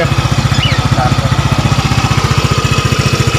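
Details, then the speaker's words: Yamaha Mio Gear scooter after repair: knock first blamed on the block was loose magneto rivets, re-pressed, valve seal also replaced; steady even low thump, no internal knocking: normal idle. "Wala na yung rat, yung parang pinupukpok sa loob. Kala namin black lang."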